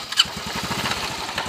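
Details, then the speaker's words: Honda Wave Alpha 110 at idle, which other shops called normal. A fast steady knock under a gravelly rattle, like stones grinding inside, with smelly exhaust smoke. The engine is to be removed. "So yun ung tunog niya parang may nagiling ng bato sa [Tawanan] loob Ser"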